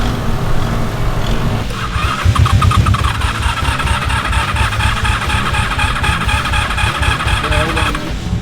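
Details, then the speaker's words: Old Honda motorcycle with gross fuel that won't run without a battery: it ticks over with a lumpy, uneven beat and never climbs above idle. Fuel delivery is suspected, not confirmed. "already knew this thing was not going to go past an idol i'm not too threatened by the fact that this thing is idling right now"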